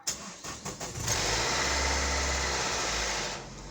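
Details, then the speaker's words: Renault Duster 2013/14 first cold start of the morning, or after sitting long: clicks and brief bursts, then a loud rough whirring roar with deep rumble while cranking, before it stabilizes. Only happens once; the cause is unknown. "Agora quando bate a primeira batida nessa chave aqui, principalmente nas primeiras horas do dia. Aí ele dá esse barulho aqui."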